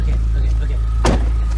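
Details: BMW E36 318is after replacing a leaking plastic cooling system connector, cold start: engine catches and settles into a steady, even low idle with no misses or knocks; normal idle.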